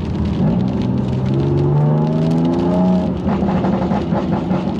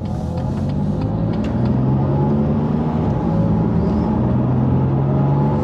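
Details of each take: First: BMW M2 Competition, first road test after nine-month rebuild, around 4,000 rpm: droning, howling rub climbing with speed from near-side rear wheel; owner thinks brakes, but loose trim catching the tyre; diff and possible wheel bearing noise also noted. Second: Rebuilt BMW M2 Competition on its first road test after repair, after refitting a missing trim bolt that had let the trim catch the wheel. Smooth engine and road hum under light throttle with no clunks or rattles. Driving normally, apart from a bearing noise noted elsewhere.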